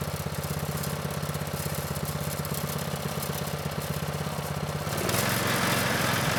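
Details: Manco Streaker vintage mini bike with Predator 212 (6.5 hp), drive disconnected, idle raised: even thump near three beats a second at idle, then smoothly up to higher steady speed; normal running.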